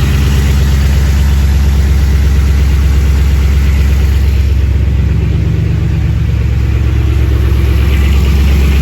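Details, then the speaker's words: Old Chevy squarebody plow truck first start after about 20 years, cold idle: deep, loud V8 idle with a hollow rattling knock; forged-piston slap while cold, expected to fade once warm. "someone's got forged pistons so they're a little noisy when they're cold but that rattling that noise that you hear is piston slap that'll cool down once the motor warms up"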